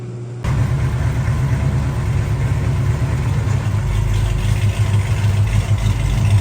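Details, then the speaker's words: 1968 Dodge Charger V8 idling after exhaust repair: leaking clamped X-pipe and slit pipe joints welded to the collector. Deep, steady idle rumble with no ticking or puffing, quieter in the cabin, all exhaust now exiting the rear pipe. "it definitely sounds a lot more quiet in the cabin and uh everything's going off the back pipe like I said so I just want to give an update"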